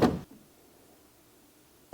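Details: Vehicle with lingering electrical issues, fuse reinserted with nobody pressing the horn: quiet, then the horn blasts a steady tone the instant power returns; shorted horn circuit.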